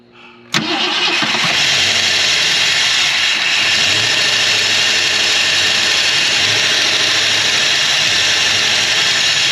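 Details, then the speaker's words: 1968 Ford Galaxie XL V8, parked 38 years, idling on its first revival run. A loud vacuum-cleaner hiss from a leak at the carburetor base drowns out the engine; a correct gasket is needed. "it sounds really good even though you can barely hear the engine because of how noisy the carburetor is sounds like a vacuum cleaner"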